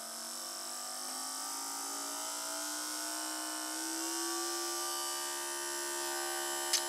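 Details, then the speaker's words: Small DC motor on a PWM speed controller, supply raised from about 3 to 6 volts: steady high whine rising smoothly in pitch as the motor speeds up, clean and even; normal motor run. "and that's about 6 volts and you can definitely hear the motor speed up"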